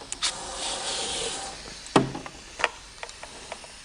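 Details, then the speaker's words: Porsche 911 Turbo (997.2) under a boost leak test: a steady sharp hiss of pressurised air fading to clicks, with bubbles showing the leak comes from the intercooler body, where a tab broke, likely in an accident. "all right so we're going to put more pressure on it now i hear the leak and i'm going to spray we're looking for bubbles maybe it's the connection over here on the intercooler no i see bubbles you see the bubbles over there it's coming from the intercooler itself"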